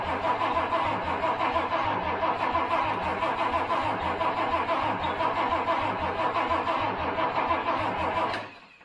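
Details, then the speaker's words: Project Toyota FJ40 Land Cruiser engine, never heard running, fuel with added two-stroke oil and a spray into the intake, coil hooked up. Even cranking at about three turns a second for eight seconds, no firing. Owner suspects corroded distributor points or incorrect timing. "all right nothing yet um we could check for spark I assumed we had some spark but the uh there's a good chance to distributor points might be a little corroded"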